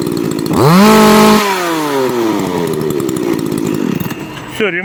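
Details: Makita EA3202S/EA3203S chainsaw after starter ratchet replacement: fires, revs up, then settles to a steady, even two-stroke idle with clean throttle response. It previously ran 5-10 seconds, over-revved and stalled.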